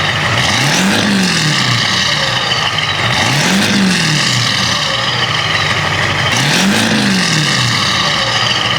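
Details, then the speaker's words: 7.3L Powerstroke diesel after installing 175cc/30% injectors, Hydra chip and fresh oil and fuel filter: three clean, even throttle blips rising and falling smoothly with no knock or miss; healthy diesel revving freely. "so y just heard right there the truck sounds freaking amazing and we got him pretty good on the power"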